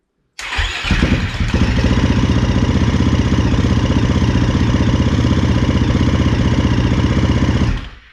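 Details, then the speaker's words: 2013 KTM SX-F 450 single: fires at once and idles steadily for about seven seconds, then cuts abruptly; it starts and then dies for no apparent reason, traced to a tip-over sensor installed upside down. "so it would start and then just die out of nowhere for no reason"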